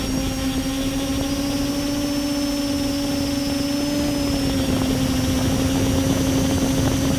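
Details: Multirotor with camera tilted 15° down causing bad vibrations: steady high motor whine wavering slightly in pitch over a rough, buzzy undertone; owner suspects ESC or motor bearings, unconfirmed.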